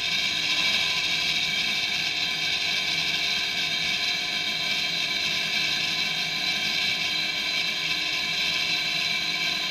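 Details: Used replacement motor for a REVA G-Wiz lithium conversion, running on the bench via its original controller and throttle: steady high-pitched electric whir with a faint rough hiss; owner unsure whether a bearing is causing the noise.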